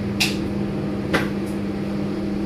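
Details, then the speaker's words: KDK ceiling fan bought in 2004, after a full overhaul, cleaning and regreasing of the dry bearings that were noisy before: low, steady hum with no bearing grinding or rumble; normal quiet running after repair. "Sebelum ni ada bearing macam bunyi bearing sikit, bising sikit. Alhamdulillah. Memang macam baru ah."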